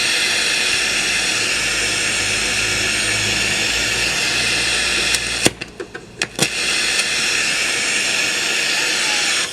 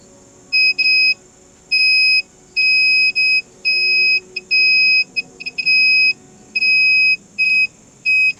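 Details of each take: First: 1990s Polytron PSC 35WB radio cassette on FM stereo band: steady even hiss with a few sharp clicks from a dirty switch, no station received, sound only from the right speaker. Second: 1990s Polytron PSC 35WB cassette/AM-FM radio, 27-pin record/playback switch removed from the board, checked on multimeter continuity mode: the weak beeps before cleaning with contact cleaner are now loud, clean beeps on all playback contacts, so continuity is good.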